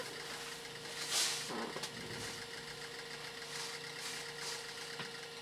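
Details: Original hard drive from an Amstrad PC2286, connected to a more modern PC while all its files are copied off for backup: quiet steady spindle hum with scattered clicks and chatter as the heads seek; busy but normal.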